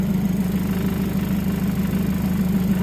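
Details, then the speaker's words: Nissan X-Trail with electronic throttle during idle learning after throttle body cleaning, engine at least 90°C; idle around 812 rpm rises with headlights on but drops with AC on and doesn't recover; a low, heavy, labouring idle beat. "nyala AC drop drop Joe enggak naik lagi"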